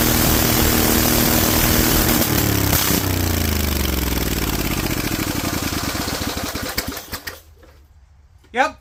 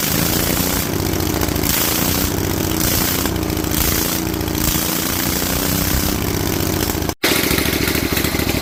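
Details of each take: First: Rebuilt Vanguard 16HP V-twin with a 23HP carb, idle raised, open air filter and header letting in far more air than it should: revs up rough and uneven, then stumbles and dies away. Lean running from the open intake. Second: Rebuilt Vanguard 16HP V-twin with a 23HP carb, open air filter and header, spring reattached: a steady chug holding even speed with a brief dropout near the end. Running normally at idle.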